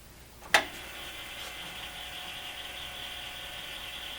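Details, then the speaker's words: Commodore 8050 dual disk drive, recovered non-working from the trash and cleaned up, reading a directory from drive 0: one sharp clack, then a steady, even whir with no scraping or grinding, normal operation. "it actually read a directory now there's nothing on there there's a file called Jenna info and it's telling me there's two hundred forty five blocks free which is good we can read on this Drive"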